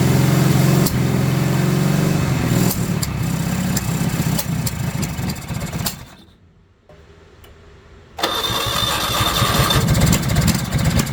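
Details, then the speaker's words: 1970 Honda N600 sedan twin, first run on a rebuilt carburetor, fed from a gas can: steady fast idle around 4000 rpm that won't drop back down, because the throttle cable is too tight with no play, so the idle screw does nothing. "Some people call me up and they go, "Hey, my car won't idle down." Well, it's because your cable's too tight. You got to have some play in it."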